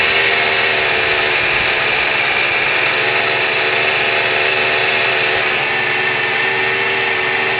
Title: Weird engine noise.